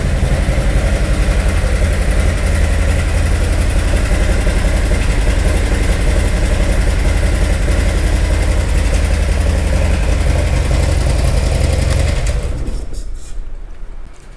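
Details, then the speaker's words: 2018 Harley-Davidson Milwaukee-Eight, 107 converted to 114 Screamin' Eagle Stage 4 kit, under warranty: heavy, loping V-twin idle with steady deep thump and rough, uneven pulses; reported knocking and power loss, abnormal engine noise, cause not yet located. "the customer brought it in essentially said that it was losing power and making a knocking noise so let me show you around and see what we have it is indeed making engine noises that are abnormal"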